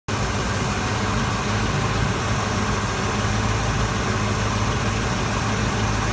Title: Exhaust leak